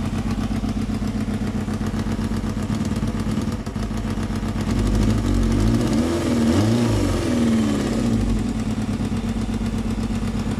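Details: 1995 Yamaha FZR 600R at idle: light, quick ticking over an uneven idle with a brief rev blip; owner suspects timing chain or tensioner, cause unconfirmed.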